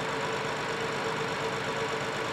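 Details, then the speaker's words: 2015 BMW 7 Series with rebuilt engine (original destroyed by overheating), warm idle going into a hard cylinder 6 misfire with uneven stumbling beat; running rich, suspected secondary ignition fault in spark plug or aftermarket coil, unconfirmed. "all right so now the vehicle kind of went into a hard misfire"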